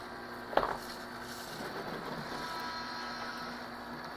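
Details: Beco blow-mold mechanical Santa after repair, previously only humming without turning: a click as plugged in, then a faint, even low hum from the small gear motor turning freely, no straining or stalling.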